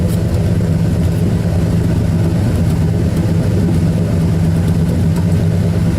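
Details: 1972 Ford Custom V8 idling after cold start, recorded at the tailpipe: loud, deep, even burble with no misses or knocks, steady throughout; normal idle.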